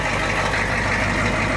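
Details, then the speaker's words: Diesel truck idling after a hard start; too much ATF poured down the intake had partially hydrolocked it, and the battery is charging. Steady, even idle with a low rumble and clatter, no misses or knocks; sounds okay. Owner plans a heater. "this sounds okay pressure we're kind of charging so I need to get a heat uh heater for it"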